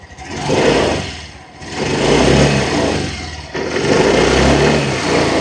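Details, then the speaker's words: Yamaha Grand Filano Hybrid TOP ABS scooter, 8,000 km, one owner: revved in three smooth swells, rising and falling cleanly with no misfire or rattle, no white smoke, throttle responsive; normal revving. "เสียงเครื่องเดี๋ยวลองมาแบบเบิ้ลเครื่องให้ฟังเสียงกันสักนิดนึงนะครับว่าเป็นไง"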